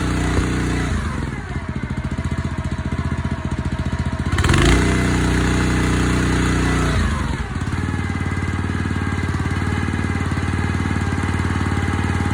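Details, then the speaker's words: Honda GX160 on a Splitfire wood splitter, earlier bogging under splitting load, after carb clean, jet check and oil change, warming up: steady even single-cylinder thrum recovering smoothly after a brief load change, no bog or stall; normal running. "Sounds like it's fine."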